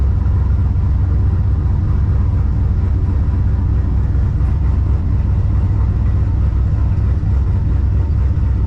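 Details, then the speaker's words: Ventura with On3 turbo LS V8 after lowering idle timing from about 20 to 15 degrees (40-60 kPa cells): deep lumpy idle, slight hunting but mostly settled, IAC steps still a little off; sounds much better. "jumps around a little bit but I I don't know I can't get it sit still you have a fch you know your IAC steps got to be between 3 and 10 little off still but a little bit of a turn but there you have it sounds a lot better"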